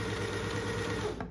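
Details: Dorina Overlock 710 after repair of a motor that had separated because its plastic mounting parts broke, re-fixed with superglue: smooth even whirring at a constant pace for about a second. Running normally after repair.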